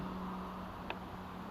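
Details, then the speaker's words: Jeep that cranks but won't start, as if getting no fuel (recall already done), with the fuel pump relay circuit jumped: faint steady hum with one small tick as the fuel pump runs. Pump works. "yes I can hear the fuel pump running"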